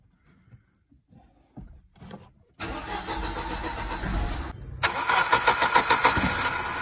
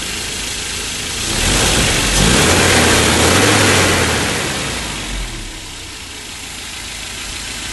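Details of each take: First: 1987 Mercedes-Benz W201 190E, KE-Jetronic, non-catalyst, running a bit rich with a slight miss and shaking at idle: short crank, then an uneven, pulsing idle that surges and dips; spark plug gap later set to 1.9 mm. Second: 1987 Mercedes 190E W201 KE-Jetronic after repairs: plugs gapped to 1.9, Seafoam treatment, mixture richened and idle lowered. Blips and settles to a smooth, even idle with no shake or miss; vibrations almost gone, normal idle.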